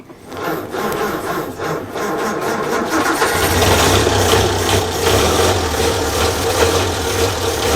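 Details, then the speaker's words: 1932 Morris Minor four-cylinder sidevalve, fuel poured in by funnel, 6V battery: cranks, catches about three seconds in, then runs with a lumpy, stumbling beat that never settles; rough running. "hey she runs sorts of so look I wasn't sure if it would go actually"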